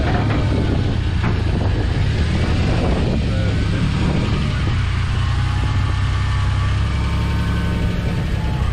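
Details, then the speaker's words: 1990 Dodge D150 4x4 pickup with a V6 and manual gearbox, bought as a project. After stalling once it starts right up and idles deep and even without stumbling, running pretty good. "killed it [Music] starts right up though it runs pretty good"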